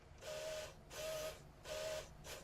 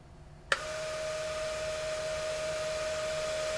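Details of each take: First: QIC tape drive on a full-size cartridge with a replacement Plastiband tension band, initializing: three hissy whirring bursts with a faint mid-pitch squeal, uneven and strained; tension band too weak, worse than before. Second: QIC tape drive running with a replacement Plastiband tension band, a steady even whir between two brief clicks. It runs much smoother than with the thin band.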